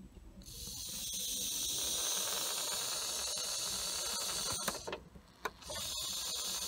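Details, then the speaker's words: Boost leak test with a leak-detection tool on a car not reaching full boost: a loud, steady high hiss holding while the pipe is pressurized, escaping at the lower boost pipe joint where clips won't seal; a new pipe has been ordered. "there we have it there's your boost leak so this pipe I ordered recently"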